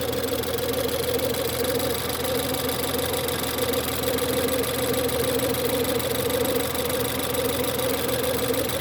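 Cold idle carries a steady mid-pitched howl held flat over the engine note without changing; whine at cold start, source unknown.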